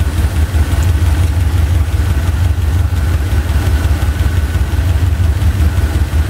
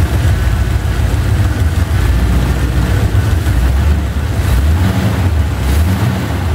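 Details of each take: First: Chevy 350 V8 idling during driver-side valve lash adjustment: steady idle with a quick light clacking over it, about three a second, from loose valve lash, stopping once each rocker nut is tightened. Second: Chevy 350 V8 after driver-side valve lash adjustment done with the engine running: deep, steady idle burble with an even beat and no ticking or tapping; much quieter than before, normal idle.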